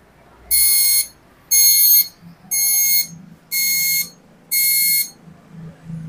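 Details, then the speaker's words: Epson LQ-2190 dot-matrix printer at power-on, all lights blinking together and no mechanical movement: five sharp high beeps about one per second; error alarm. "Hai guys lampunya langsung modif sambil bunyi alarm"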